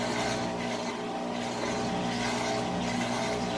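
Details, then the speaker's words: 3-year-old Amana washer on a large-load warm/cold regular cycle, entering final spin: steady, even motor hum with soft rushing drum and no knocks or wobble; normal light first-stage spin before the medium and high spin stages. "And it kind of goes through this three-phase cycle where it will spin lightly like this as it gets the water out. Then it does a medium, and then it does a high spin."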